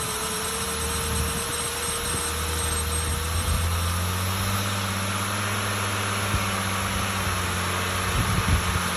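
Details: 2003 BMW E85 Z4 2.5i petrol six humming at low revs with scattered sharp knocks, engine speed rising partway through; engine knocking, cause unknown.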